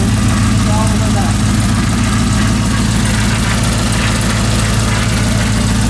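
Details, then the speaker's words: Humvee with LS V8 swap on its first start and drive, with a Holley system; an earlier spark issue was fixed by reseating a loose spark plug wire. Steady, even idle with a smooth low burble and no misses or ticks; runs great. "Wow yeah man way way better way way worth it runs great"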